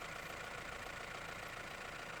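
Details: Mahindra Roxor turbo diesel idling after a Dirt Legal intake retaining bracket was fitted to stop boost leaks: a smooth, even idle with a steady hiss and no knocks, whistles or surging. Checked repeatedly with no leaks found; normal idle.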